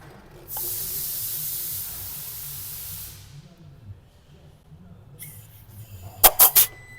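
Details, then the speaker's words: Nissan Juke 1.2 DIG-T, during timing chain failure repair: compressed air blown into a cylinder through a tyre-valve adapter gives a short steady hiss, then quiet, no leakage, valves sealing. "And there's no leaks on that one."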